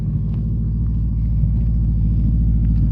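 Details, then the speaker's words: Toyota Corolla with homemade 3-inch resonator-back exhaust, tune checked, pipe slightly rubbing a heat shield: deep, even low rumble with steady pulsing beat, no rasp, puffing or popcorn pops yet; normal exhaust note. "sounds great with the three inch"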